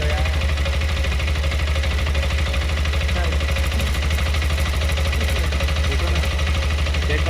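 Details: New TVS Apache RTX 300, checked just before delivery after accessory installation: steady single-cylinder idle with a light abnormal metallic tick about one and a half times a second, source unclear; technician said it would be resolved at first service.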